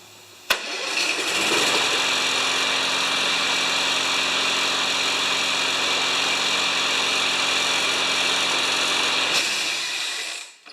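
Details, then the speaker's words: Yard Works/MTD mower with Briggs engine and wind-up spring auto start: sharp snap as the spring fires it, steady even buzzing run for eight seconds, clean cut-off with screech as spring rewinds for next start; starter working properly. "And did you hear that horrifying screech at the end? It actually winds the spring down in here for the next time."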